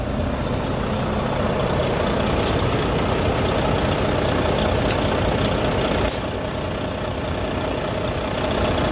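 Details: Volvo D13 semi truck engine restarted after repair of a loud knocking noise from the head area: steady, even diesel idle with a smooth low rumble and no knock; the engine sounds healthy.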